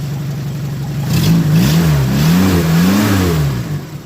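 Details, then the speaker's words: Renault 10 after tappet adjustment (inlet 0.15, exhaust 0.20) at run-in service around 2,000 miles, not yet fully hot: even note as revs swell and settle, no top-end clatter, less tappety than before; healthy. "Sounds a lot more wholesome, as I like to say, where you haven't got loads of everything knocking around."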